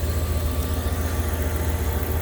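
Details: 2nd gen (1994-2002) Dodge Ram petrol engine after replacing a warped idle air control valve that caused rough idle, stalling and a suspected vacuum leak: low steady rumble, even and stumble-free.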